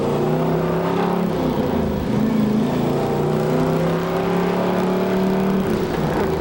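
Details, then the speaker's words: 1969 Camaro Z/28 during restoration, heard from outside the car: smooth, clean revs rising and falling with the throttle, deep even exhaust note, no knocks or rattles; normal revving. "sounds awesome here huh it's got a really unique sound I like to hear outside the car okay what a sound"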